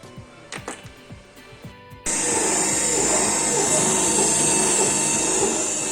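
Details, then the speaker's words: Candy GO F 107 washing machine drum motor after swapping worn-out carbon brushes for donor-motor brushes: few light clicks then steady high even whir as drum turns; runs normally, problem was brushes. "Всё вот уже крутит оно Проблема была в щётках тепер надо брать щётки заказывать и менять на новые"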